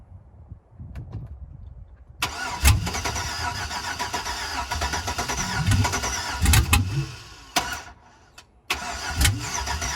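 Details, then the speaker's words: 2005 Chevrolet Suburban LS donor, first start attempt after adding fuel: starter cranks steadily for several seconds with low chugging but never catches; ignition switch faulty, fuel issue suspected; crank no start. "it's got to be a fuel issue"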